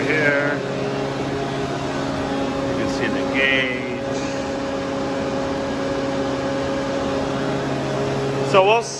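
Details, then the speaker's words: Used Hydrovane VSD air compressor running loaded before the tank fills: steady, even drone with a constant mid-pitched hum, no knocks, rattles or surging; pumping smoothly under load. "it we'll stop it before it fills up so we you can see it running loaded"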